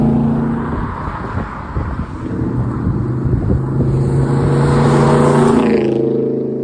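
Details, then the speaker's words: 1981 Holden WB one-tonner ute, six with automatic, first drive in over six months after brake booster replacement; opened up on a back road with the window down, drone climbing steadily under load with road rumble, healthy engine. "see if you guys can hear how this whole girl sounds she's only a little d3 but it does sound good when you open it up"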